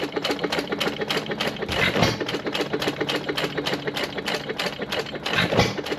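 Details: 1925 1.5 hp Sattley hit-and-miss gas engine after Wico EK magneto repair: crisp regular firing beats with evenly spaced coasting gaps, no clatter; healthy hit-and-miss running.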